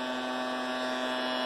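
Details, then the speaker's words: Anycubic i3 Mega 3D printer: a steady loud buzz with a fixed low hum that grows as power increases when printing. Pressing on the platform or bottom reduces it. Something makes the frame vibrate; the cause is unknown. Frame vibration buzz. "or if I start up the print for example when the power power increases I'm going to hear that well on the camera but something is vibrating"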